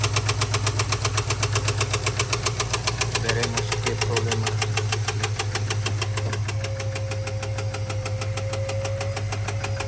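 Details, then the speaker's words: 2022 Ford F-250 7.3L: sharp even tick two to three times a second over steady idle; teardown found a stuck hydraulic roller lifter with loose rocker and damaged camshaft. Lifter tick from collapsed hydraulic roller lifter. "Tenemos problema de ruido en el motor. Vamos a destapar el motor. ¿Qué problemas tiene? Porque es fuerte el ruido que tiene."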